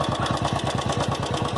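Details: Royal Enfield Classic 350 single-cylinder at idle: steady thumping with a light crisp tick on each beat, present since the first week of ownership and growing louder and more irritating over about a year; source unclear, engine ticking.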